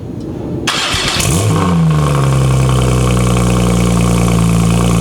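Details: Porsche 991.2 911 Turbo S with newly installed custom headers, cold start: starter churn, engine catches, flares briefly and settles to a smooth, steady, quiet high idle with an even deep note; healthy cold start.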